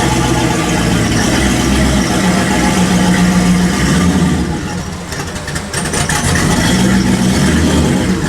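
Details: 1974 Chevy Caprice convertible, built LS swap with big single turbo, first start after Holley dual-pump fuel system upgrade, no leaks, fuel pressure showing; deep, loud, steady V8 rumble dips briefly and picks back up as it revs; idles and revs healthy.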